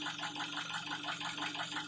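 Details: 2003 Nissan Wingroad, QG18DE petrol engine converted to gas injection, automatic, AWD, started cold: a quick, even bottom-end knock of about eight beats a second over the idle. It persists on petrol; oil pressure reads 0.12 MPa at idle and 0.33 MPa at 2000 rpm.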